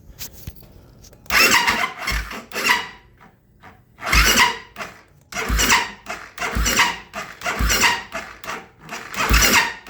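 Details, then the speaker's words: 2008 Kawasaki KFX450R with new starter, relays, solenoid, switches, harness and injector, running only on starting fluid: labored cranking bursts with a sharp squeal; owner suspects the starter gear or the starter one-way clutch. "And that noise, I don't know what the hell that would be, but I know it doesn't sound normal. It also sounds like it's coming from the starter gear, or the one-way clutch for the starter."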